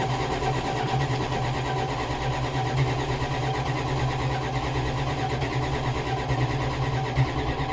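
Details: 1987 Chrysler Fifth Avenue V8, unused for about six months, January cold start with choke and a couple of pedal pumps: a deep, steady rumble settling into an even idle with no misses or knocks; healthy.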